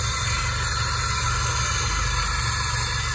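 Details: Car brought in running rough, cylinders 1-2 seemingly without compression; after start-up a steady idle with a rough, puffing low pulse and sharp hiss, exhaust escaping at a leaking exhaust manifold joint.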